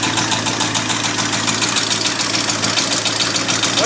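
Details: Abandoned 1989 Ford F250 5.8L V8 started on a new battery after fuel injector wire repair, never revved: a rough idle with a steady internal knock of roughly three a second; knock at idle, source not yet found.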